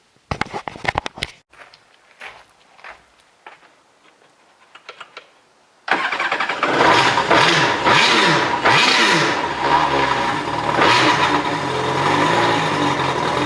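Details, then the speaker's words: 2013 Kawasaki STX-15F jet ski, first start after varnished fuel flushed and seized fuel pump rebuilt: clicks, cranks, catches and runs with rising and falling revs. Needs help on first start; owner suspects idle air control valve needs relearning or replacement. "She runs. Holy crap. She runs. Alright guys, so we got it running. It still needs a little bit of help on the first start, so I don't know if maybe that idle air control valve needs to relearn or if maybe I need to replace it."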